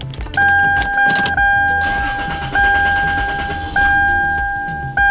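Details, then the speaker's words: 3rd gen Toyota 4Runner after fuel filter replacement, system primed by cycling key about ten times: starter cranks, engine catches briefly then dies under a door chime; fuel not fully primed. Restarts on next try. "it died that time let's try again there we go"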